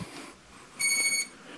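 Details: SJRC F11 foldable brushless drone with 350 mAh 1S battery, powered by single press on top: one clear high-pitched beep about half a second long at power-up; normal start-up signal.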